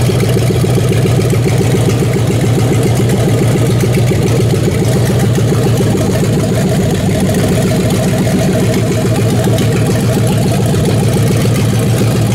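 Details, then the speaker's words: 5.9 Magnum 360 fuel-injected V8 in a lawnmower swap on custom stand-alone harness, just after first start: deep, loud burble holding a steady, even beat with no knocks or misses. Normal idle. "There's fuel pump, as you can hear. And then if we hit this, we should be running."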